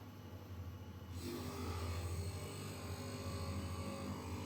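Steady motor hum, then after a second a rough even scraping rises as the stones just touch, showing the gap is set right.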